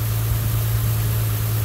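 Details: 2009 Mustang 4.0 V6 after thermostat housing replacement, coolant refilled and leak-testing: steady, even low idle hum with no misses, knocks or ticks; quiet, healthy idle with no coolant smell.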